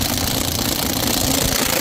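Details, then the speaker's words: Impact wrench on torque setting 2 tightening lug nuts on an F250 during a flat-tire change: a rapid, even, sharp hammering rattle that clacks three or four times once the nut stops turning, then cuts off; normal torque-limited impacting. "and you can see it when it's turning now once it stops turning and you hear it clack maybe like three or four times you know it's good and it's on setting number two so it's not going to over torque it"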